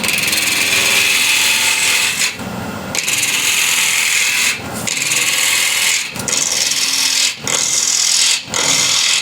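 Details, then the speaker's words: Ash bowl blank on a Killinger KM 1450 SE lathe at 1200 RPM, peeling cut with a bowl gouge: steady hiss of wood peeling in short passes, no rhythmic thump or chatter from the uneven screw chuck; smooth cut without vibration. "So you can hear now there is no that vibration from uneven screw chuck here, the surface here."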